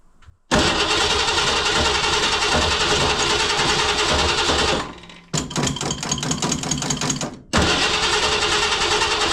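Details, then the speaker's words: 1968 Ford Mustang, start attempt after about 20 years parked: repeated bursts of steady starter cranking, about three to four turns a second, never firing; crank no start because a wire was disconnected from the ignition coil. "somebody had jimmied a wire off of there well interesting guys sobody Jimmy the wire off of the coil"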